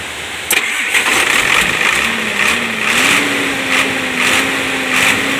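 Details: Hino Lohan 260 TI diesel truck with loss of power on climbs, misfiring at high rpm and white smoke, started after a bolt repair. The starter turns briefly, it fires within a second and settles into a steady idle that rises slightly and holds.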